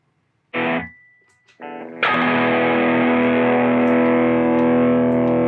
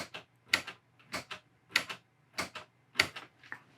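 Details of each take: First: Ampeg Reverb Rocket guitar amp, footswitch cable moved back and forth: distorted guitar chord abruptly drops out and snaps back repeatedly, from a hairline-cracked solder joint at the footswitch jack, later fixed by reflowing. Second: Ampeg Reverb Rocket amp after reflowing a cracked footswitch jack solder joint: sharp, crisp double relay clicks about every half second with each footswitch press, channel switching now working.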